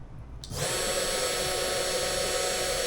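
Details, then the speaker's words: Cheap ANNOY TOOLS CNC milling machine with a 500 W spindle, seemingly fixed at 12000 rpm: spins up within half a second to a steady, clean high whine with no wobble or rattle; sound much improved, running normally. "hình như nó được cố định ở 12000. Âm thanh đã được cải thiện đáng kể."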